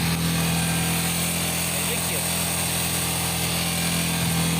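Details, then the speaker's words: Yamaha R15 at about 5,000–5,500 rpm: a thin, tinny buzz like shaking foil over a steady engine note, which stops when a foot rests on the peg; a loose rear footpeg pin is rattling. "ele é um barulho que ele dá mais ou menos a 5 5500 rotações"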